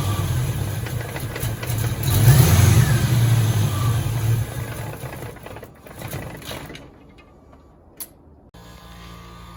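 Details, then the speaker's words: 1986 Ford Mustang GT, original-mile car that sat for a while, just under a quarter tank with pump heard priming: cranks, catches, surges unevenly, then stumbles and fades out; owner is fairly confident the fuel pump or its hanger hose is bad. "All right. So, I'm pretty confident we got a bad fuel pump here."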